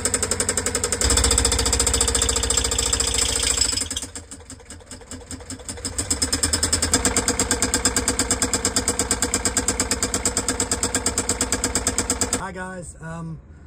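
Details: Old sailboat diesel clatters loudly and runs rough, steady knock near three beats a second with uneven loudness; cause not found before replacement with new Beta Marine 16.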